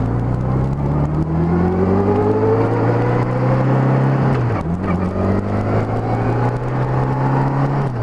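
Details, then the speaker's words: Honda GL1200 Goldwing after fitting the Honda service bulletin carb kit for low-speed hesitation: engine climbs evenly under light throttle, dips cleanly at the shift and pulls again with no stuttering. "I was accelerating up just light throttle but it's not stuttering one bit really feels good now"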